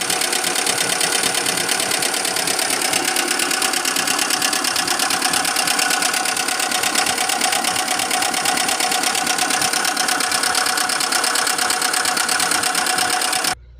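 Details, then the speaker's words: 2002 Kia Visto engine developed a rough noise after being push-started because it had sat parked a long time with a weak battery: fast, even metallic ticking clatter over the idle; valve train rattling from a loose rocker shaft. "Oke, kali ini sobat kreasi Lubis mau sharing ya, engine Kia Visto 2002 ya. Itu ada problem kemarin, suara kasar ya."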